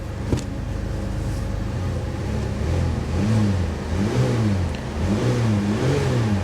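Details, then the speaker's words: Salvage-auction Corvette convertible, started at lot, revving: rough, uneven revving with stumbling lumpy firing and considerable smoke; misfiring badly, later smoothed after fuel worked through. "oh misfire misfire bad yeah she's misfiring pretty bad guys"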